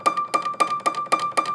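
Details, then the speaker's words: Piano key played: sharp, dry clicks about four a second, even when the hammer doesn't hit the string, caused by a loose hammer flange screw; fixed by tightening the screw. "can hear kind of a clicking noise even when I go like this you can kind of hear the clicking noise even when it's not hitting the string"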